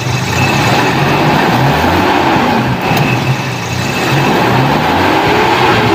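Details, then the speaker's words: Toyota Kijang 7K carburettor engine after the emission control module's faulty IC and transistors were replaced. The engine holds a steady note, dips slightly as the throttle is released and picks up cleanly. The carb solenoid now switches on and off on deceleration, so the module works normally. "jadi sudah kita ganti IC ternyata si selenoid karbu sudah bisa on off ya saat kita terserasi"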